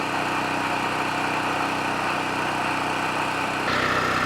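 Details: Cheapest Chinese mid-size gas generator, first start, with earlier oil spray from the muffler (possibly assembly oil) and the oil level unchanged: steady, even, fast putter with no misses or knocks. Normal idle.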